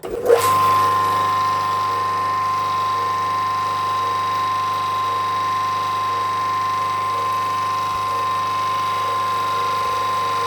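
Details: Autopramie AP-JC9000 industrial pressure washer with green spray nozzle tip, restarted after power was raised from its lowest setting, recorded without an external mic. Steady, even motor drone with a constant mid-pitched tone, no surging or knocking: running normally.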